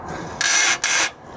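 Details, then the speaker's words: Nissan 280ZX old front control arm, removed for replacement with Techno Toy Tuning GTX arms, flexed by hand: two harsh rasping creaks about a third of a second each; dried-out, worn control arm bushing. "oh listen to that old bushing oh yeah"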